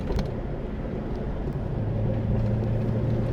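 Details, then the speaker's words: 1966 Morris Minor after timing chain replacement, pulling uphill in fourth gear at 30 mph; low, steady chugging drone holds even under load, no knocks or rattles, still able to accelerate. Normal engine running under load. "I'm pulling up this hill in fourth and it's just chugging away up there we're doing 30 and I could probably carry on accelerating and it'll do it"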